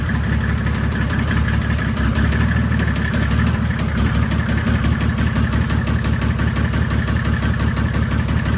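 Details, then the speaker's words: Knock that appeared after the last full pull on a 1984 Mercedes 190D W201 drag car with a built 1998 OM606 turbodiesel: rough diesel idle with a hard, uneven knock about 87 a minute over the clatter; owner suspects bad injectors, unconfirmed. "That sounds injector. Yeah, that was weird. Dude, if that's injector. Dude, I really hope it's just like the bad injectors."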